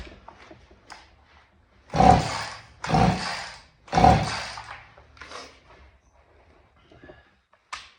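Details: Vintage Husqvarna 50 chainsaw, unrun about 15 years, about 80 PSI compression: three slow pull-cord strokes, soft easy turnover, no firing; weak or stuck rings suspected; low compression.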